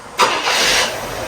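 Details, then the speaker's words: Barn-find 1972 Chevelle with points ignition after tune-up, initial timing set to 16° since it disliked 6°; hot restart checked for dieseling: brief crank, catches cleanly, steady idle, no run-on; sounds good. "Sounds pretty good."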